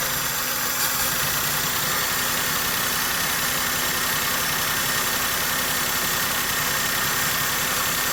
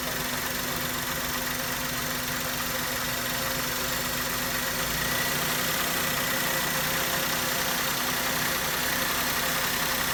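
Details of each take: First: Maruti Suzuki K-series engine idles with an uneven, lumpy beat of about four pulses a second, plus vibration, mileage drop and pickup loss. This is a misfire from a faulty ignition coil and spark plug, fixed by replacing them. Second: Maruti Suzuki K-series car engine after coil and spark plug work for a misfire: steady, even idle with smooth mid-pitched hum and no stumbles or dropouts; firing cleanly on all cylinders.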